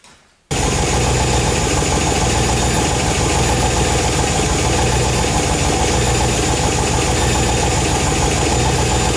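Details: RX-7 after cracked-piston rebuild: loud, busy, even idle holding steady with no misses or surging; normal idle, only a little blow-by left, far better than with the broken piston.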